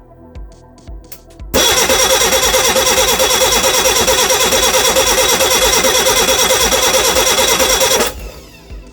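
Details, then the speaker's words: Reliant Regal Supervan 3 engine on the workbench, after moving the distributor and with spark in doubt. The starter churns at about three beats a second for six seconds with no firing; crank, no start. "nothing at the moment have we lost spark that's the question and did have spark before"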